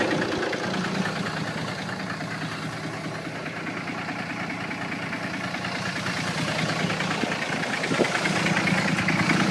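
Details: Car engine idling with a steady, regular knock, source unknown; owner is trying to find where it comes from.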